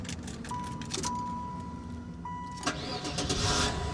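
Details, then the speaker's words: Car with about 200,000 miles at a salvage auction in cold, snowy weather: brief crank, catches at once and settles into steady idle; only the change oil light is on. Clean, healthy start. "oh yes but she fired right up change oil light is on and that's it there are no other lights on the dash"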